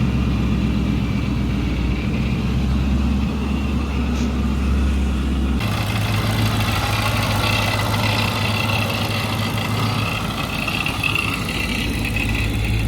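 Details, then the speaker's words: Stock 2014 Mustang with newly fitted Paxton 2200 supercharger, at idle: low, uneven idle with faint sputter; rough idle attributed to unfinished remote tune still needing revisions. "yeah I still got a little bit of a mess at idle you can hear it kind of sputtering they have a couple more revisions to do on a tune so that'll be fixed"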